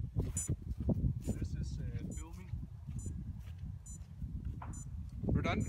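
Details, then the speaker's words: DJI S900 with Z15GH4 gimbal, A2 flight controller and Lightbridge during a redundancy test: short high ESC beeps about once a second under voices, the speed controller armed but getting no signal from the flight controller. "So just maybe get closer so you can hear the sound of beeping ESC."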